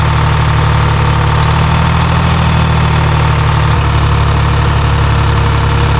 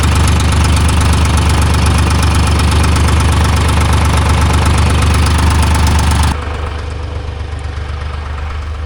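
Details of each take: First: Timberjack skidder diesel after swapping the mismatched N50 injector: deep, even idle with a steady low drone and no misses or knocks; runs better. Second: Timberjack skidder diesel with mismatched injectors (two 45s and a 50) and loose fan belts: starts and runs with a deep, steady rumble, then sags abruptly at about six seconds and loses power, as it does under load. Fuel pressure to be checked.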